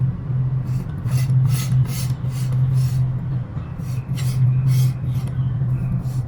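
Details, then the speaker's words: Electric scooter with a bent brake disc rubbing on the caliper, heard during caliper adjustment: steady low motor hum with a light scraping swish repeating a few times a second as the wheel turns. "Let's see, the brake disc is bent. It's bent, so we have to adjust it."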